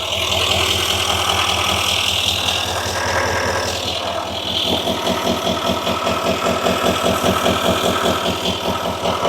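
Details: 2018 Chevrolet Silverado High Country L5P Duramax diesel, about 105,300 miles, idling with an uneven lumpy beat; sudden misfire on cylinder 4, codes P0204 and P0300, no excessive blowby, wiring or injector suspected.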